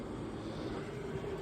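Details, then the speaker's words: Pit Boss 850 pellet grill after flame-out from running out of pellets, prime button held: steady low motor drone with faint even tone, no grinding or stalling; auger turning and feeding pellets normally. "Should move those pellets through."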